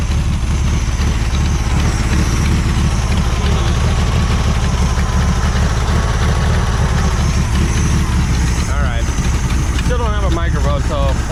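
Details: 1973 VW Super Beetle, still a little cold, running after a clogged fuel filter was found to cause stalling; the fuel pump is fine: a steady, healthy idle.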